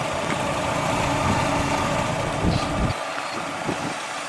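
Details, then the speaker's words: 1989 Dodge Daytona ES revived after 16 years in a salvage yard: low, soft, steady idle barely above background, no knocks or misses; running smoothly and quietly. "so the thing is so quiet you can't even hear it running"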